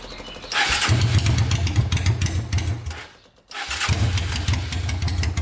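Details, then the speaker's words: Honda 500cc engine swapped into a tractor, run to warm up after the fan wiring was repaired: loud engine fires into a fast, steady thumping idle, dips briefly, then picks straight back up; runs good, no leaks so far. "All right, we're gonna let this thing run for a bit now that everything works on it, and let it warm up and see if any issues arise."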